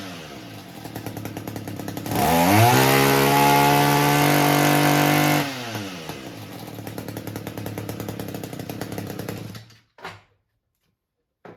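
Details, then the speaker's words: Echo two-stroke weed eater that kept stalling, after turning the carburetor high-speed screw slightly counterclockwise: revs cleanly to a high steady buzz, then settles to an even idle; runs fantastic, mixture now right. "That's it. Runs fantastic."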